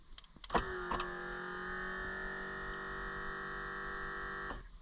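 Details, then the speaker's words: Lasfit Stealth anti-theft hood lock on Jeep Gladiator JT, locked or unlocked from inside after install: steady, fairly loud whir like a mini compressor for about four seconds, stops cleanly; controller motor working normally. "that controller motor is actually somewhat loud. It's like a super mini compressor, but what are you gonna do? It's just like for a couple seconds."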